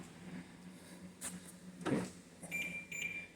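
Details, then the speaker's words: 2013 BMW E70 X5, central locking cycling lock/unlock on its own with chirps and clunks, only when standing near the driver's side; cause not yet diagnosed. "but did you hear that it's locking unlocking home on the tone now I'm here on the driver's side so all you got to do is get somewhere near the driver's side"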